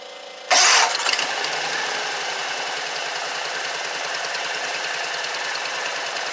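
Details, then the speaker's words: Exmark mower with a Kawasaki twin, valves already adjusted: starts, then runs lumpy and uneven, and starting fluid brings the dead side in. One cylinder dead because one barrel of the two-barrel carburetor is clogged with rust and water. "it's cranking and running fine on its own but this cylinder over here is not uh getting gas and the valves have already been adjusted we've already done that so they're good"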